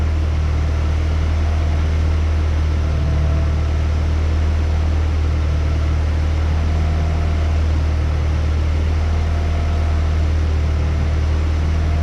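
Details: 1994 Honda Accord, 256,000 miles, idle after throttle body cleaning; idle screw fully in, still right over 1,000 rpm: deep steady hum that never settles down. High idle, cause not yet found; smoke test planned.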